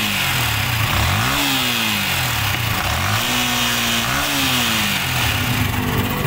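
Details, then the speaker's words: Motorcycle engine just after installing a new MBR1 manual cam chain tensioner (14mm bolt with O-ring): it idles and blips up and back cleanly with no chain rattle or slap. The cam chain is now quiet. "narinig nyo, tahimik na."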